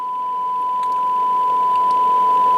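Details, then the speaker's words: Yaesu FTM10 radio under repair, receiving a test generator signal at -73 (nothing heard at -93): a steady test tone with hiss underneath; the receiver now picks up a signal but is very noisy and insensitive. "- 73 it is also very very noisy but there is a signal which is finally a good sign"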